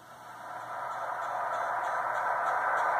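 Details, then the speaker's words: Yaesu FT-891 receiver with RF gain turned up: faint, even ticks about four a second over hiss, in exact time with a logging program on the computer polling the radio. Yaesu says it meets spec. "hear a very rhythmic clicking sound if I further or more comin up turn up the RF gain this sound is precisely in time with the computer interrogating the computing interrogating the radio"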